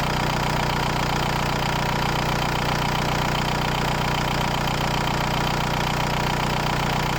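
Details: VW New Beetle TDI 90 ALH diesel with EGR delete and NRJ Car add-on tuning box being adjusted: even, steady diesel clatter at a settled idle with no hunting, stumbling or misses; smooth, healthy idle.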